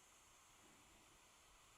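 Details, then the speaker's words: Retroid Pocket 5 handheld switched to high-performance mode, its small cooling fan in sport mode giving a steady, loud airy whoosh with a thin high whine and no pulsing. "as we move up to high performance mode and the fan kicks into sport mode you'll hear it becomes very noisy"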